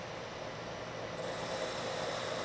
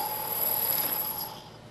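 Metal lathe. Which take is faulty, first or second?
second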